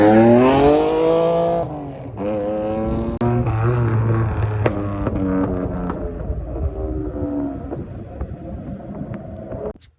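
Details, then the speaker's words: Mitsubishi 3000GT after a chassis swap (engine, transmission and gas tank moved over), running once the tank's hard line was cut and the rubber fuel line reused: revs and settles with an even tone through throttle blips, no misfire, then shuts off. "And then I reused that rubber line and hooked it up. And then after that, she finally started running."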